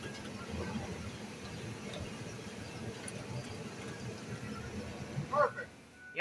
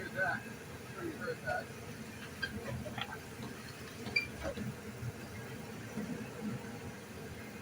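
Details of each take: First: Ford Econoline van front end after radius arm bushing replacement, rolling forward and backward: only soft, even road and engine noise, no squeak or clunk; quiet, healthy suspension. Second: Ford Econoline van idling while braking, reversing and going forward: short scattered creaks and squeaks from the front end, from worn radius arm bushings, before replacement.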